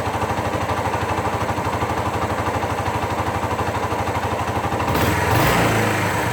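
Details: 2001 Suzuki GZ250 single at steady idle, sharp puffing tick about three per second on each firing: leaking exhaust joint despite gasket change; engine running lean, front pipes bluing.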